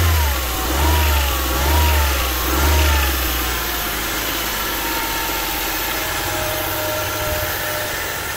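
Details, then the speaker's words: Newly bought Honda Civic EK VTi sedan, started cold on an extra battery; idles fairly smoothly but a thin whistling hiss rides over it; owner suspects an intake vacuum leak, not yet confirmed. "so straight away you can hear it running pretty smooth but there's definitely a vacuum leak so that's going to be a bit of a troubleshooting for class"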